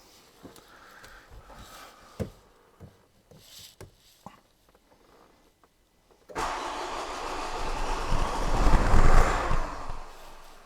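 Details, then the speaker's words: 2008 Renault Koleos 2.0 dCi M9R diesel that won't start and has no stored fault codes. The starter churns steadily for about four seconds and it almost catches, then dies; a no-start. "customer complaint is the car won't start crank it tries to start but fails to start"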